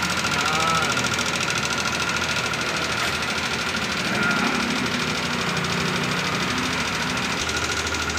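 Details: Yamaha NMAX V2 scooter with 46,000 on the odometer idling: loose rapid ticking knock from the top end, a worn rocker arm needing replacement.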